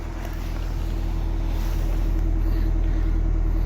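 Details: 2005 Nissan Altima that would not start, revived by cleaning the intake sensor, fitting a fresh filter, sweeping sand from the intake manifold and adding 10W-40 oil plus engine repair grease; alternator running, belts okay: low, even rumble holding steady, no ticks or misses, healthy idle.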